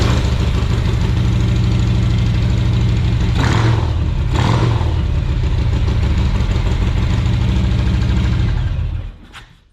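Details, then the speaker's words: 2017 Harley-Davidson Tri Glide after new fuel pump assembly and filter install: big twin fires and settles into a steady, even loping idle without the old pump whine, then shuts off cleanly. "Oh, that fuel pump sounded so much better. It didn't make all that whining noise that it used to do. Let's see if she fires."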